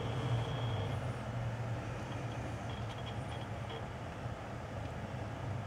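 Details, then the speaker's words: Core 2 Duo desktop: PSU fan, which used to drone at near full speed, now wired directly to the motherboard header so the board regulates its speed; soft even low hum, no rattle or tick; PSU stays cool; normal quiet fans. "Сейчас я обошёл эту систему и напрямую включил вентилятор в материнку, в разъём питания материнки. Поэтому сама материнка регулирует скорость вращения вентилятора. И той скорости абсолютно достаточно."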